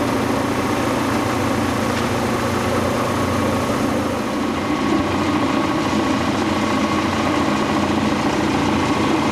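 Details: Quincy Model 325 air compressor lower end on the tank, secondhand electric motor with new single-phase starter, oil pressure 18-20 psi: steady even run with dull rough drone; noisy motor bearings.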